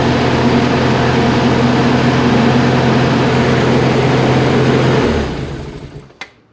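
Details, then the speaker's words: FC3S Mazda RX-7 rotary, remote start test after Compustar CS920-S install with hood switch depressed: steady even buzz for five seconds, then winds down and shuts off cleanly; starts and runs normally. "Beautiful. Works great. That's awesome."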